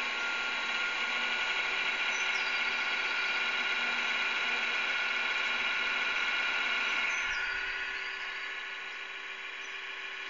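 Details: Xbox console about 3 years old, intermittently buzzing for the past 8 months, later shut itself off: a steady high-pitched buzzing whir that eases slightly quieter near the end. A noisy cooling fan.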